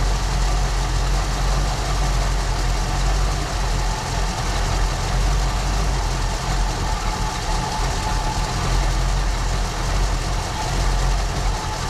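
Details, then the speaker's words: 1974 Ford Bronco V8 just after first start in over 16 years, following fuel system work; owner thinks all 8 firing, deep steady even idle with no misses or knocks; runs great. "Give it just a little bit of idle. Outstanding, guys. Runs great."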